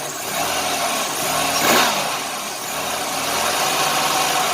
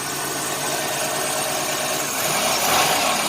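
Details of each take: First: 1990 Chevrolet Lumina Euro 3.1 V6, 145,000 miles, cold start, factory exhaust: after brief rev settles into steady even idle with no stumble; injector suspected for earlier miss-like hesitation; normal idle. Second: 1990 Chevrolet Lumina Euro 3.1 V6, 145,000 miles, cold start: idle around 1,800–2,000 rpm with an uneven, slightly lumpy beat under a steady hum, like a misfire; cause unconfirmed, injector check considered.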